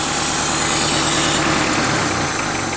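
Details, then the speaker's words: Car after MPFI swap with a new idle air control valve, first start: steady idle with an airy hiss over the engine note; owner suspects a vacuum leak, not confirmed. "so far no bad [ __ ] I think there's a vacuum leak somewhere I hear that"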